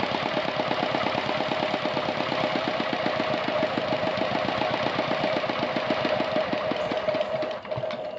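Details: R180 single-cylinder diesel tractor engine after throttle-butterfly idle adjustment, since idle was too high: steady, even low-speed thumping about six beats a second with no misses or stray knocks. Idling smoothly.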